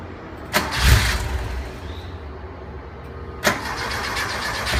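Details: 1973 Porsche 914 2.0 hard to start after an oil change, valve adjustment and new spark plugs: starter churns without a clean catch, just a couple of sharp jolts and a low rumble.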